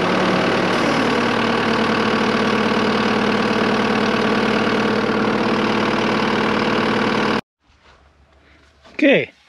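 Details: Diesel skid steer after fuel filter change for water in fuel tank: even clatter with steady beat, smooth for several seconds before shutting off; starts and idles cleanly, no leaks.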